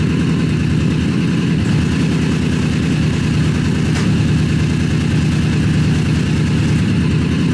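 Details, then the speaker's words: Honda CBR1000 engine in a buggy, freshly rebuilt after major cylinder damage, reinstalled in the frame with fresh Honda Bond on the oil pan; deep steady rumble, smooth firing, no knocks or rattles, much better than before the rebuild; normal running. "it's running it's right it sounds healthy it sounds so much better so much better than it did last time"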